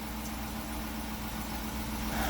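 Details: 2014 Jeep Grand Cherokee with an intermittent click, no-crank, no-start, usually after rain, now started: even, steady low idle rumble with no misses, knocks or stumbles. Owner suspects starter connector moisture or a dying solenoid. Normal idle.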